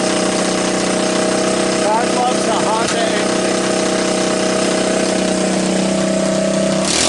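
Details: Honda ATC200S engine after being seized twice and a cracked oil filter cap replaced, refilled with oil: quick, steady single-cylinder idle with even beat, no knocks or misses; running cleanly.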